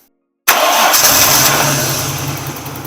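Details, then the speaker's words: Nissan R31 RB30 petrol six after misfire diagnosis and fix: after a brief silence it fires at once and settles into an even, steady idle, without the earlier shake and rattle. "it's braing a lot smoother idling better uh it's not got that shake and that Rattle and and the carrying that it had before so I'll give it a start now so you can see it"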